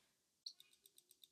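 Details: Tandem Mobi insulin pump priming the infusion set tubing during a site change: quiet, sharp, evenly spaced clicks, about seven a second, as insulin goes through the tubing; normal priming clicks.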